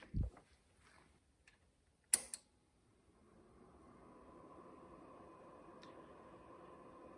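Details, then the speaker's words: Pyle PT796BT 7.1 surround receiver after its loose, loudly buzzing cooling fan was taped down and steadied: after a few handling clicks a soft, steady fan hum settles in with no rattle or buzz. It now runs quietly. "yeah we're nice and quiet now"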